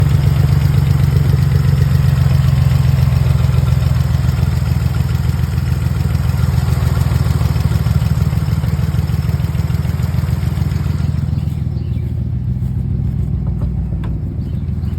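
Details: Nissan 350Z V6 at idle, misfire persisting just after replacing spark plugs and coils: low, uneven pulse with irregular stumble; misfire cause unconfirmed.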